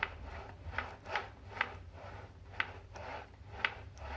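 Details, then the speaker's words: Logitech G29 wheel opened for maintenance, force-feedback motors with brushes rubbing on motor base: soft, dry rubbing rasps with each hand turn and no squeal; general noise normal, unlike the loud squeal of the known fault. "il rumore generale un po si sente ma vi assicuro che chi ha questo problema si sente eccome"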